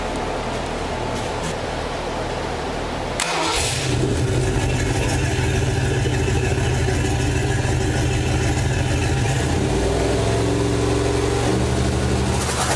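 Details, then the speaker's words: Ford 302 V8 from an 87 Ranger budget build on a test stand with MSD box, homemade hot side spooling a 12.7L Detroit Diesel semi-truck turbo: cranks a few seconds, catches cleanly, steady low rumble, revs climb; sounds healthy and pulling. "Yeah, this thing crunk up. See what she does. round Sounds like it's pulling up to me."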